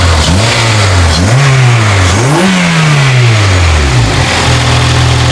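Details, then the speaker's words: Honda Integra Type R engine, which was heard knocking earlier: sharp free revs now rise and fall cleanly with a smooth, even note and no knock or rattle underneath. It sounds healthy, but the engine is being pulled and stripped anyway because it isn't trusted. "nothing wrong with that. So what's up then, Mike? Well, typical Honda, it can't even break down properly. It's not making any knocking noises at all."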